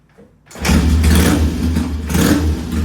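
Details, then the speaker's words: Vintage Triumph T100 bobber twin with top end rebuilt on an earlier visit, sump vent re-modified, started and revved full bore. Clean start, even strong beat, crisp revs, no misses or knocks; smoke comes and goes, suspected internal: normal running and revving. "Okay, so you got to hear it full bore, and it sounds really good."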